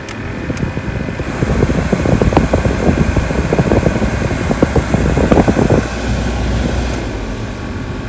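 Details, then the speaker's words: Mercedes A-Class W169 / B-Class W245 with a new blower motor fitted, the old one having made a metal-to-metal squeak and burned out the heater resistor; it gives a steady rush of air with no grinding or squeal, working on all settings. "Okay, so that's working well. I can hear the blower."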